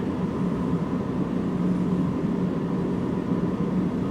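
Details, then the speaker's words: V8 idling with a steady, even rumble and no squeal after the alternator brushes were reseated; the previous alternator squeak is gone, repair apparently fixed. "squeaking yet. Yep. I don't hear nothing. Sounds pretty smooth."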